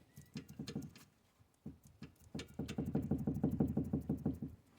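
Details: Citroën GS, right-side inner steering ball joint: light quick clunks about three a second as the wheel is rocked by hand, from roughly 2 mm of play; worse than the left side, before replacing the joint.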